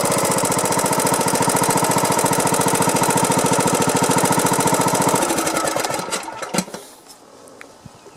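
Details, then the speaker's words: Briggs & Stratton Platinum 21 hp mower engine idling: sharp, regular click, almost a knock, after loud compression-release click on cranking; valve train suspected on its way out, not confirmed. "if you're here it's almost a knock but it's really that clicking right so if you can hear that that is on its way out"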